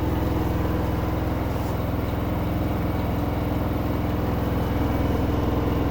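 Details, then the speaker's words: LG 10 kg front-load washing machine, noise from the motor area: heavy hum pulsing about twice a second with a rough gravelly rumble like pebbles turning, vibration said to be normal; grinding noise. "ऐसी आवाज़ आ रही है जैसे कंकड़ घूम रहे हैं।"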